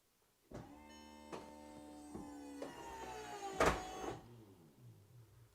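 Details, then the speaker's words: VW Eos convertible roof with fault code 02805 system malfunction, after reset with glass sunroof open: motors whir and whine about three seconds with latch clunks as it tries to unlock, then stops short; roof cycle stalls mid-way. "Alright, so it did the same thing like I pressed the button. It seems like it tried to unlock this part."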